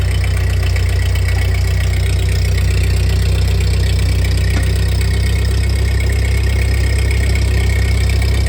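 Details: 1948 Ford 8N tractor engine after a full rebuild, idling in neutral after a PTO check with the clutch released; new carburetor still needs fitting and adjustment: steady, even low chug with unbroken rhythm, no knocks or misses. Normal idle.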